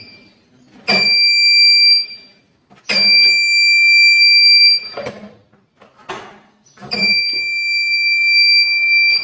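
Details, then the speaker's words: Motorcycle with newly installed magnet side-stand sensor, ignition on with stand down: three high-pitched buzzes about a second each with short gaps; side-stand warning buzzer working, stops when stand is raised or ignition off. "अब friends जैसे ही हम bike की switch on करूंगा ना, तो tin की बात आएगी, क्योंकि हमारा जो है ना स्टैंड नीचे है और पीछे करने पर बंद हो जाएगी, ठीक है ना।"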